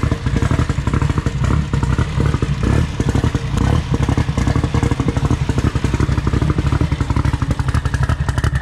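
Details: Toyota billet 3TC drag car at its first start-up. Loud, choppy, lumpy idle with sharp, even exhaust pulses and brief revs, firing regular and clean. A healthy race engine with normal idle and revs.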